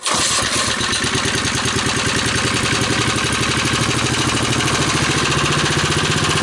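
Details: 1971 ARCO mini bike, 3 hp Briggs & Stratton single, oil topped up, on a shot of starting fluid after a pull: fast even putter holding speed, no knocks; confirms spark and compression, carburetor untested, choke and governor tampered.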